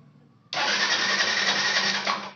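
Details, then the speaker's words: Yamaha FZ FI BS6 after refitting the injector and the dangling bank angle sensor that stopped it starting: catches straight away on the starter and settles to an even idle, check engine light off; normal start and idle. "जैसे की आप देख का रहे होंगे गाड़ी हमारी start हो चुकी है और जो यह चेक इन डी लाइट थी यह भी ऑटोमेटिक बंद हो गई"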